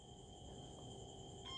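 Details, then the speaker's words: Multimeter set to diode/continuity range with probes touched together before testing an electric float switch for a water pump control cabinet: faint steady high-pitched tone over low hum; normal continuity beep. "นะครับก็จะมีเสียงนะครับผมหาเค้าจะมีเสียงในลักษณะนี้นะครับ"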